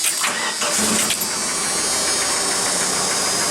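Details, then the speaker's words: 1988 Dodge Dakota 2.2-liter four-cylinder, 5-speed, in neutral after fixing the exhaust leak: steady even run with no rattle, puffing or blowing leak; exhaust sounds sealed and normal. "about normal [Music] oh yeah that's a lot better"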